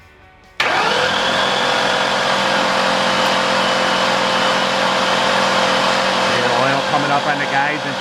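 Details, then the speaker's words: 2001 Ford Mustang Bullitt GT V8 after MHS Stage 2 NA cam install with new lash adjusters and followers, cranked to prime oil before first start, oil reaching rockers and chains: steady even cranking, no knocks or tapping; everything sounds good. "Nothing hitting. Everything sounds good. Awesome. Good stuff."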